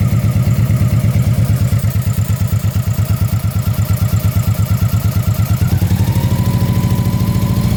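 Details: Honda PC800 V-twin, rebuilt by previous owner, compression 110 psi front and 130 rear (should be 150): loud beat turning uneven and stumbling above 2,600 rpm; misfire, owner suspects exhaust valve, unconfirmed.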